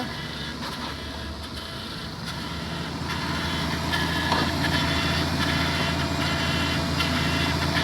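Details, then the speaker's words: 1997 Toyota Camry with swapped-in Avalon engine, first start after the swap: idle with light regular ticking about two per second over a steady hum; owner suspects a bad oil pump, unconfirmed. "You hear that? Blubing itself up. The oil pump. That's your oil pump. Come listen. You might have a bad oil pump."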